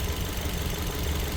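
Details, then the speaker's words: 2012 Suzuki Swift 1.4 L petrol, code P0302, engine light on: lumpy, stumbling low idle; unplugging the number two coil (good coil swapped in from number three) changes nothing, so cylinder two is dead, owner suspects internal coil fault or plug. "hopefully you can hear this as i gotta take that off obviously we drop down lower and as i go to take this one off"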